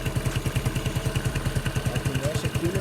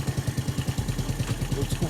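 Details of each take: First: Yamaha Neo 115 scooter after greasing the kick-start shaft that had been rubbing: even thumping idle with no rubbing or scraping, noise gone. Normal idle. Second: Yamaha Neo 115 scooter, strange noise after using the kick-start pedal, fairing removed: steady single-cylinder idle thumping with faint light scraping from the kick-start shaft rubbing. Kick-start shaft rubbing.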